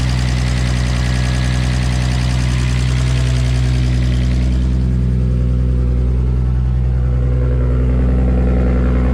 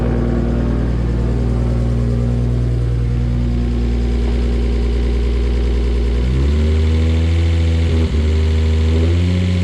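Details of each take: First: R33 Skyline with a freshly rebuilt, fully forged RB25DET engine, warming up at idle after start: deep, even idle pulsing about three times a second, smooth and regular with no knocks, ticks or misses; normal idle. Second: First start of a freshly rebuilt, fully forged RB25DET in an R33 Skyline, rough idle with throttle blips: fast, light ticking about four a second; hydraulic lifters are noisy because oil has not reached them yet and should quiet down.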